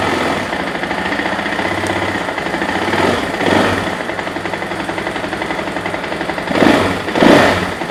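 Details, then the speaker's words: 2024 KTM EXC-F 500 TPI dual sport single on stock exhaust, started cold after air filter modification, before FMF muffler install: steady, rapid, even thumping idle with a couple of brief blips, no knocks or misses; normal idle. "Before I do the exhaust, I just want to start it up to see how she sounds. The stock exhaust, just giving an example."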